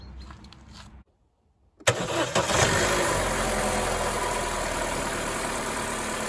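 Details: 2014 Opel Corsa D 1.4 after replacing the coil pack (cylinder 4 coil was shorting to the block, causing idle RPM fluctuation and vibration): engine catches at once into a steady even idle, much smoother than before.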